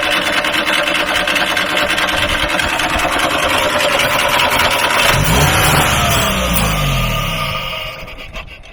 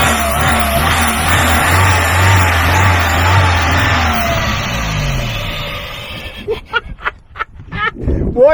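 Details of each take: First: Free truck being started with carb cleaner and fuel pump checked: runs rough and uneven, pitch sags and winds down over three seconds until it quits; stalling, suspected fuel starvation or switch off, not confirmed. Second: Free truck's engine kept running on carb cleaner, before running on own fuel supply: steady even fast idle, no misses or knocks, doesn't smoke; sounds pretty good, normal running.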